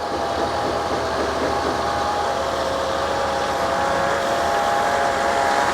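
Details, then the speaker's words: Mercedes W211 with 5.5 supercharged M113.990 V8, warmed to 60°C after replacing camshaft bearing beds and rocker arms; even steady hum with no knocking or ticking; normal warm idle, knock gone. "Итак, ребята, двигатель у нас прогрелся 60 градусов. Значит, стука у нас не наблюдается."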